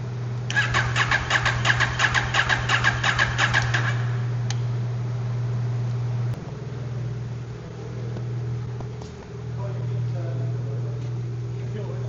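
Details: KTM 790 Adventure twin, with ongoing hard start where one cylinder sometimes won't fire, after spark plug work: starter cranks in even pulses about three per second for nearly four seconds before catching and idling; fuel possibly very low; not fixed.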